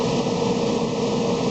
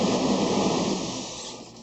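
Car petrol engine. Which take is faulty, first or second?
second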